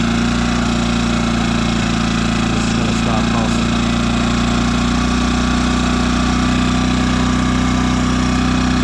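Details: New Yamaha EF2200iS inverter generator on eco mode, after turning the idle screw in so the stepper motor finds a stop, fixing idle surging: constant steady drone with fixed tone and no rise and fall; normal idle.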